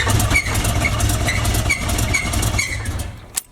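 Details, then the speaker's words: Chevy box with an engine said to be done (new thermostat, no leaks, no head gasket sign; low coolant or water pump first suspected), idling with a sharp rhythmic squeak about twice a second from the belt drive; owner suspects a pulley. "hear that squeaking, so they make me think. Basically thinking what they think. Some with a pulley or something."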